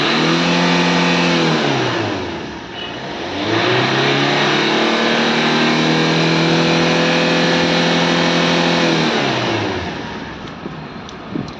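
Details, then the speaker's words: Suzuki Swift diesel with about 300,000 km, after its starting problem was fixed, revving cleanly twice and dropping back. Slight black smoke is blamed on wear in the EGR, intercooler and turbo, though nothing distinct is heard. "പിന്നെ ഇപ്പൊ ഈ വണ്ടിക്ക് ചെറിയ black smoke ഉണ്ട് കാരണം black സ്മോക്കിന്റെ reason എന്താണെന്ന് വെച്ചാൽ വേറൊന്നുമല്ല ഇതിന്റെ ഇജി ആർ ഇന്റർ കൂളർ പിന്നെ അതുപോലെ ടർബോ"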